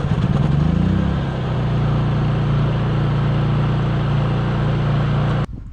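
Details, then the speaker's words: Honda EU3000 generator after pull cord repair, carb cleaning and new battery, warm start with electric starter: catches quickly, then steady low even drone with no misses or knocks. Normal running. "well this thing seems to be running good now, so let's put it back away till next winter."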